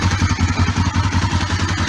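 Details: Kawasaki ER5 twin after oil, filter, air filter, spark plug and cap service, tank refitted: steady, even exhaust pulses about five per second, firm low thump, no knocks or misses; idling smoothly, good to go.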